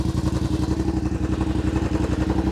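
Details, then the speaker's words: 2021 Yamaha Wolverine RMAX4 XTR 1000 at about 1,477 miles, heard from outside: even, fairly quiet exhaust pulses roughly nine a second at idle, nothing knocking; cab noise louder when driving. "idling exhaust it sounds decent it's not overly"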